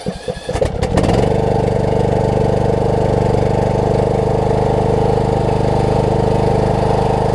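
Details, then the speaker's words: Craftsman LT3000 riding mower, maintained, filter changed, bought needing a deck and brake work: short crank, fires within a second and holds a smooth, even idle with no misses or rattles; running well. "This thing's doing great."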